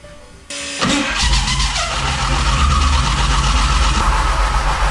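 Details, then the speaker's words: Gen 1 HEMI engine (expected about 140 hp, two-barrel Bendix/Stromberg carb) on a dyno with makeshift flywheel and starter setup: harsh metallic grinding while cranking, then it starts and runs loud; starter pinion doesn't line up with flywheel, needs shimming. "the only issue I got right now is that the starter doesn't line up perfect with the flywheel so I gotta find a way to shim it and get away from these noises that it creates"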